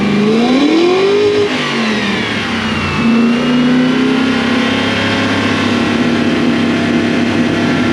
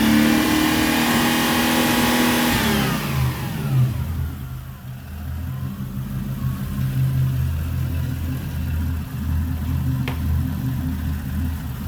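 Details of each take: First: Toyota Celsior (1UZ V8, LS400 badges) after a second-hand airflow meter was fitted; revs climb and drop cleanly, then settle to a smooth idle with no popping: normal revving. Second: Toyota Celsior/Lexus LS400 1UZ V8, not driven for a while, fouled plugs, AFM supply fault under diagnosis: revs up, falls back and settles into a slightly lumpy, uneven idle; uneven running, cause suspected, not confirmed.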